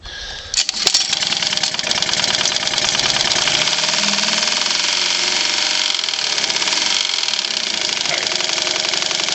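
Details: Honda B100 outboard, estate sale find, flywheel has about 1/8 inch play and oil shows silver bearing babbitt: after starting, rapid metallic knock about four beats a second over idle; worn bearing suspected, not confirmed.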